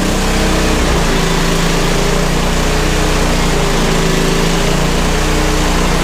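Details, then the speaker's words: Bandit SG-40 stump grinder engine that took a lot of oil: loud, rough running with a harsh, uneven low-end rumble; something is clearly wrong inside, owners suspect a thrown rod or a hole in the block. "Yeah, there's something wrong with it. I wonder if it's got a thrown rod."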